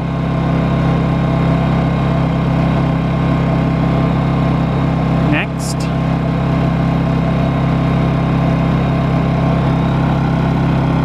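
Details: New Honda EU2200i Bluetooth generator, very first start, running while the app pairs: smooth constant drone with steady low hum and one brief small chirp; running evenly, normal idle.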